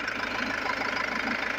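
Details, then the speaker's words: Jaguar XF diesel losing pickup with changed engine sound, revved with accelerator: steady airy hiss over the running engine, no pulsing or knocking; boost air escaping from a split turbo-to-intercooler pipe. "तो यहां प यह जो pipe है friend यह turbo का आपका intro cooler में जाता है वो पाइप यहां से फट गया"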